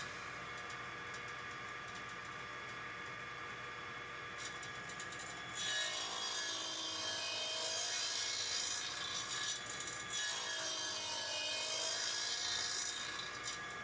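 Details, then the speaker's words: Old radial arm saw restored after years idle (capacitor and belt replaced, blade sharpened): even motor hum, then two smooth rasping passes through wood; normal clean, steady cutting. "but it's run on again that's the main thing and I think it does nice Square Cuts is sore and you can also do some joinery on it too and trenching Cuts as such"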